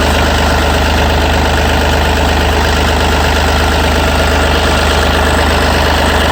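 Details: Yanmar 3TNV88 diesel in a Yanmar C30R, started after servicing and bleeding the fuel filter/water separator: steady, even idle with a smooth low rumble and no misses or knocks; running fine.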